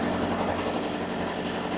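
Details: Loud, steady diesel drone with an even low hum, no knocks or surges, from a two-compartment trailer reefer (C1 front, C2 rear), both compartments on; normal running.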